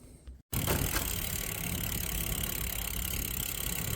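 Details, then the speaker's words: Bicycle disc brakes after removing and reinstalling brake pads, test ride with wind and tyre noise; braking brings no squeal or squeak; quiet disc brake. "the brake is working perfectly. No noise at all. So, this was the easy fix."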